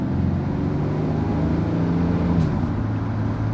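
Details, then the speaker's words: Chevy Silverado work truck with a V6 and a new engine, automatic transmission remanufactured by Jasper, driving on the road. Steady drone with a slight pitch change, no clunk or whine; you can barely hear or feel the shift: normal shift. "you can barely even hear or feel it shift. Like I say, it's not a giant racing monster."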